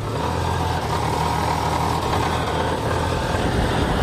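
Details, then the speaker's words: 1989 Jeep Cherokee XJ 4.0L I6 Renix, AW4 automatic, after cracked flexplate replacement: steady, smooth idle with no tick; slight rattle attributed to exhaust parts, some smoke from leaked transmission fluid on the exhaust. "turrets and she runs we did it a little bit of a rattle tattle thumper somewhere but that's just uh you know like pushing vibration stuff"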